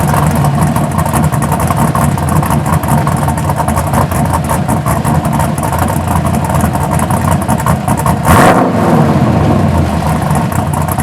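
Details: 1983 Buick Regal with fresh LS1 swap (MS3 cam, 5.3 truck heads, mid-length headers, dual 3" exhaust, SLP bullets): deep lumpy cammed idle, then a quick free-rev blip rising cleanly and dropping back; sounds healthy.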